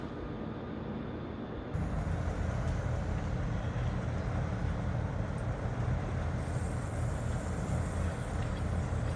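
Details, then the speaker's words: 3D DC inverter R410a zoned air conditioning condensing unit, just cleaned and serviced: smooth even low fan rumble, no shaking, vibration or mechanical noise, only air off the fan blade; normal running. "you can hear beautifully quiet no shaking no vibration no mechanical noise all you can hear is the wind off the fan blade"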